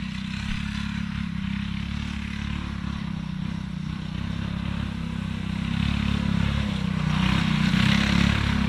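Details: Alcohol-fuelled 212 single-cylinder go-kart engine after about 3 months in the garage without draining fuel: steady idle chug with slight rise in speed near the end, fires evenly and runs clean.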